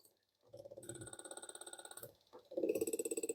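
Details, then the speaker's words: Front-wheel-drive car's ABS module bench-tested on a tester over a one-wheel-lock complaint: outlet valves fired front, rear, left and right in two matching bursts of quick even clicking, about three per second; operating equally, no spongy-pedal fault. "아웃넷 밸브도 앞뒤 좌우로 이렇게 동일하게 작동되는 걸로 봐서 스펀지 현상도 발생되지 않고 있습니다."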